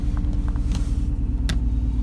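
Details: BMW 1/3 Series: deep, lumpy idle with an uneven pulse that stumbles every few beats, also stutters on the gas; misfiring cylinder from a broken ignition coil, fixed by fitting a new coil.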